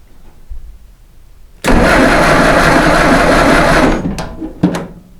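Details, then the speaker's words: Ford Model T Chicken Coupe after correcting a wrong, too-short timer rod and improving an intermittent bad ground: quiet lead-in, then a brisk starter spin that catches into a lively engine for about two seconds before cutting off; sounds good. "sounds good to me"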